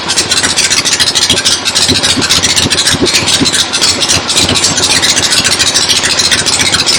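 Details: 1975 Harley XLH Ironhead Sportster V-twin, fresh rebuild, first start outdoors on a temporary lawnmower gas tank: loose loping idle around 200 beats a minute with crisp mechanical clatter on top; oil return established, oil pump working, normal idle.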